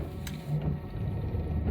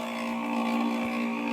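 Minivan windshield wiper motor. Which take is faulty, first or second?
second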